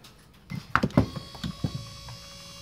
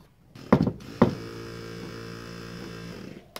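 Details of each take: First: Ford XC Fairmont GXL driver's power window motor, previously worked on, new rollers, bench-tested during restoration: faint steady even hum, no grinding; normal, quiet operation. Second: XC Ford Fairmont GXL 351 restoration, power window motor on the bench: a couple of sharp clunks, then a rough, uneven buzzing whirr; this motor is noisy, unlike the quiet driver's one, and may be disassembled to find out why.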